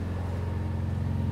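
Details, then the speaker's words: Rare Italian car, £300 former non-runner with complete engine rebuild, variator work done, injectors swapped to cure rough running: steady, even low rumble idle, smooth regular beat, no misses, knocks or smoke; running cleanly. "it's not smoking it's nice car isn't it sounds good and it hasn't James it hasn't even got the horrible variator noise it's all been done"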